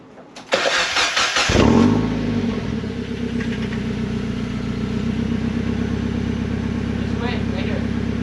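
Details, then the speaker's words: Miata with axle-back muffler removed, leaving cat-back with resonators; cranks and catches into a loud, raspy idle with crackling pops on revs; open, mean-sounding exhaust. "I'm gonna give you a little sound clip of what it sounds like because it sounds pretty mean"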